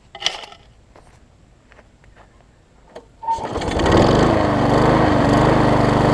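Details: Murray mower engine transplanted onto a Craftsman deck, with old gas in the tank and a cleaned carburetor jet, primed and given throttle: a few weak cranking pulls, then it catches and settles into a steady, even run with no misses.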